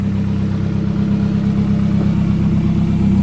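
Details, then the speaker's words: Toyota 4E-FTE forged rebuild using second-hand parts, first startup: steady, even idle with a firm regular exhaust beat and no knocks. Some smoke; compression seemed low on the first cranks but came good, likely once oil got in. Healthy, with good compression. "A bit of smoke, but I mean, it's a first startup. And it actually sounds like it's got good compression."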